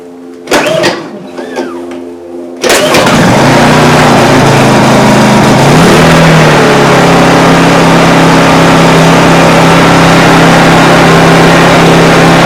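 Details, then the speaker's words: New Honda EU2200i 2200 W inverter generator, freshly filled with oil and gas, first start: catches after a few cranks and settles into a smooth, steady, quiet hum with no hunting; runs fine. "I bought it because it is extremely quiet as compared to my other um my other generator. The other one is extremely noisy. This one is nice and quiet."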